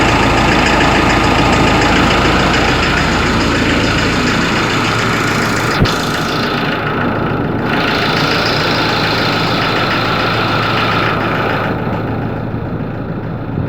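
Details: Ford Ranger 3.0 Limited diesel, cold engine at idle: sharp, regular knock about four times a second over the clatter; mechanic and pump specialist could not find the cause, selling shop could not fix it, owner gave up the truck.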